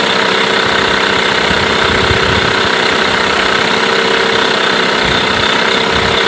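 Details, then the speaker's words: Mercury 8HP outboard, bought used after sitting unknown time, started after a couple of pulls in a water tub after carb cleaner; steady even buzzing idle at constant speed, no misses or knocks; running cleanly, normal idle. "wow not bad at all quite impressed to be honest I didn't expect it to [Music] go after a couple of turns so it's looking pretty good so far"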